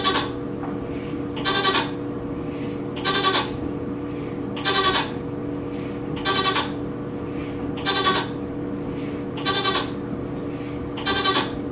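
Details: New Whirlpool WTW4816FW washer during wash: a moaning, bleat-like cry repeats about every one and a half seconds over the steady wash hum; cause unclear, owner unsure if normal.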